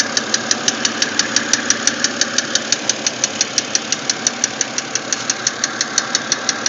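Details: BMW X3 at idle: sharp, very regular metallic tick about three per second over quiet idle; source not identified.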